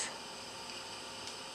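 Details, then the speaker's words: Instant Pot during the water test, pin raised: soft steady sizzling hiss as pressure builds before the timer starts; normal pressurizing sound. "of like sizzling. It's the pressure building."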